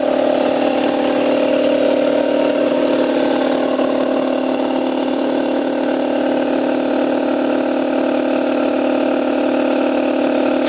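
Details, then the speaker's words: Damaged 60-gallon compressor, motor end casing cracked, bracket bent, air filter missing, temporary oil cap: steady, even pump drone with a smooth hum and no knocks or rattles; pump runs and pumps air, motor or end cap may need replacing. "So the pump does operate very well. Does pump air."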